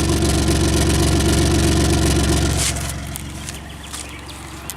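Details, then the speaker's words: Car at almost 160,000, fitted with a brand new sensor, heard at the tailpipe. A steady low pulse, somewhat uneven, then fading: the engine doesn't run right and runs rough; the garage couldn't find the cause. "I put a brand new AK sensor and these accents don't seem like they're running right"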